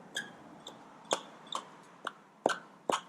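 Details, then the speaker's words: Traxxas Maxx 4S RC truck motor turned slowly by hand with the spur gear removed: sharp dry chirps about twice a second. The motor's small bearings are suspected, to be lubricated with WD-40. "pretty much this noise is for the motor what i'm going to do is i'm going to slightly just lubricate it uh it could be the little bearings"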